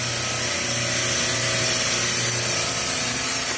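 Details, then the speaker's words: Supermarket refrigeration rack, high suction pressure (85), compressors possibly off on overload, multiple cases warm: constant hum under a loud, rough, hissing rush at the compressor; hot gas solenoid sticking open. "i don't know if you can hear this but this one here sounds like it's a problem let me see if i can turn the compressor down so we can pick up on that sound that southern noise is sticking i guarantee"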